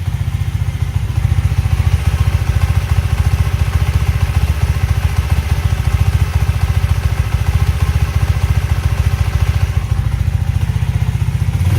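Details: Alpha Delta Vento 110cc moped idling after a knocking suspected-fake piston was replaced with a supposedly original one (valve clearances not yet checked): steady, even low putter with a regular beat and no knock or tapping; it sounds healthy.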